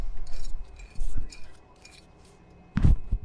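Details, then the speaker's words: 2007 Infiniti M35 driver-side front wheel hub, removed old hub spun by hand versus the new one; loose metallic clinks and rattling from worn bearings, hub being replaced; wheel bearing rattle. "Alright, versus the old one that we can hear it rattling."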